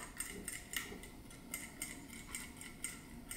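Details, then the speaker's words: MSR DragonFly white gas stove jet with shaker needle, shaken during servicing: light metallic ticks, about two or three a second, as the needle slides up and down freely to break carbon out of the jet and keep it clean. Normal. "there's a little needle that slides up and down, and as it slides up and down, that will break any carbon out of the jet and help it stay clean."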